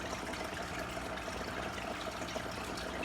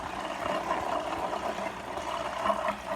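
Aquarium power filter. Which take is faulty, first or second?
second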